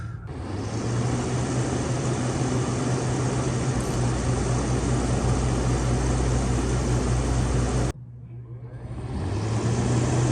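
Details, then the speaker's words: GE rooftop air conditioner on a Grand Design XLS 22MLE RV, run with an amp probe before fitting a Micro-Air Easystart (start draw thought to be around 25 amps): steady low hum and constant fan tone, briefly dropping out then spinning back up; normal running. "Okay, we're going to turn the air conditioner on and see what the amp draw is on the unit before we hook up the Micro Air Easystart."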